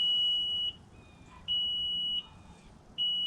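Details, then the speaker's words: 2006 Mercury Optimax 225 outboard sounding 4-beep low-oil alarm, long steady beeps about 0.7 s on, 0.8 s off, though main oil tank is full; stuck float in the main oil tank, fixed by replacing the tank. "Which is the 4 beeps for oil alarm telling me that I have an issue with my oil,"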